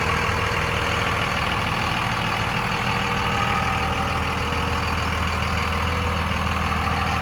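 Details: 2001 Dodge Ram 2500 4x4 with a 5.9 Cummins diesel at 90,412 miles, fully serviced; a steady, even idle with a smooth low rumble and no knocks or misses: normal idle.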